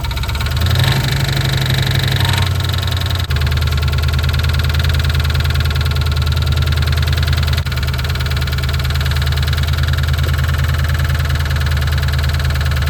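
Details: 1988 Mustang GT 5.0 V8, fresh oil with Marvel Mystery Oil: steady, loud idle with an uneven knocking patter about three a second; cause not pinned down.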